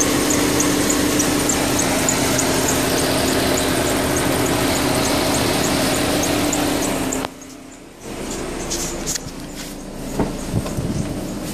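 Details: 2008 VW Touran 1.4 TSI Sport (170bhp) petrol engine running: sharp, high chirping squeak about three to four times a second in sync with engine revolutions, also heard before acceleration kicks in — high-pitched squeak in time with engine speed.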